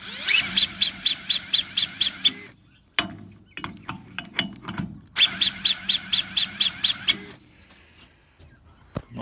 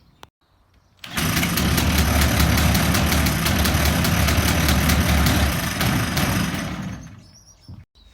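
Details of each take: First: Two-cylinder two-stroke longtail mud motor with SPS kit, cranked by a small electric drill: high drill whine with regular compression pulses about four a second and no firing; cranking too slow to start it. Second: Two-cylinder two-stroke longtail mud motor with SPS kit, cranked by a Makita drill without using the decompression lever: catches after a brief crank and runs steady at a fast, even buzz before dying away; starts and runs fine.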